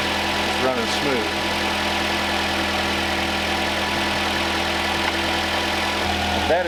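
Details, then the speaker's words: Homestead truck just repaired by a mechanic friend, not cranked in a while, now idling with a steady, even low hum, no misses or knocks. Normal smooth idle. "I guess you could tell that hadn't been cranked in a while, but as soon as it did, it's"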